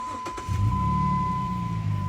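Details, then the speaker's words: Jeep Cherokee 3.7 V6, push-button start, phone mic in wind: short starter whirr, catches at once and settles to a steady low idle. Vapour seen is condensation, not smoke. Healthy start. "that is nice i don't know if the phone's picking that up with the wind but that is a lovely"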